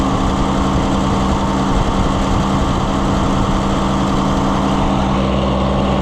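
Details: Oliver 77 gas tractor, not run for a while, just started after the carburetor was tapped: steady low, even putter at idle with no knocks or stumbles; runs smoothly.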